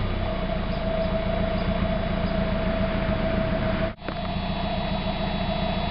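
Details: 1991 Mazda Miata after a new catalytic converter was fitted, no flange leaks: smooth, even petrol note with a steady low rumble and no leak hiss or rattle; sounds much better, revs faster, power back.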